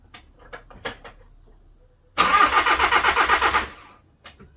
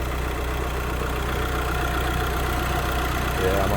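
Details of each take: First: VW Crafter campervan diesel after head gasket failure and top-end rebuild, timing hand-set: about 1.5 seconds of even rhythmic cranking, never fires; turns over but won't start, error code showing. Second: VW Crafter campervan diesel after head gasket failure and top-end rebuild, warm with temperature sitting around 90: steady even idle clatter with smooth low rumble, no knocks or misses.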